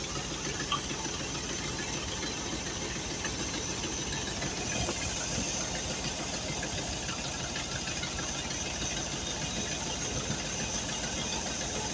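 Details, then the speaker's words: Engine running steadily after carburetor rebuild, with a sharp hissy puffing over the idle from an exhaust leak still present; no fuel leaks found. "Man, we ever get that exhaust leak fixed, this thing will sound good if it stays running like this."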